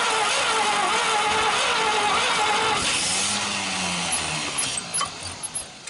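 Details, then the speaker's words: 1939 Chevrolet Master on its first start attempt after 48 years, with sandblasted plugs and a hooked-up coil. Steady cranking at about three beats a second with occasional weak puffs, as if one cylinder is catching. It is firing intermittently and won't pick up; the cause is unconfirmed. "Definitely she's firing a little, doesn't she? Yeah, she was trying. Puffing."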